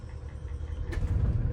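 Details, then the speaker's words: Toy hauler RV generator, run on a jumper pack after sitting with old fuel and failed first attempts, catches: low uneven rumble firming up as the engine starts running; engine starting. "oh she caught that time let's turn the batteries on so it starts charging them right away"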